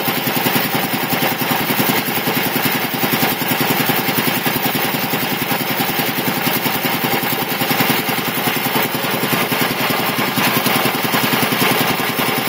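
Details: Quincy QR-325 compressor (1975 tank, pump R.O.C. 10 from 1968), converted from the original 3-phase to a GE 5HP TEFC single-phase motor with a smaller pulley, pump slowed from 796 to 621 rpm, temporary setup on test run: steady, even pumping chatter with no knock or surging. Normal running.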